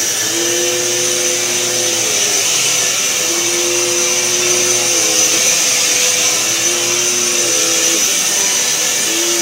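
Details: Eureka Power Plus upright vacuum, received free and reportedly no longer running, runs again after freeing a brush roll seized by hair around its bearing and unclogging the hose: strong steady high-pitched motor rush with faint wavering tones, normal running.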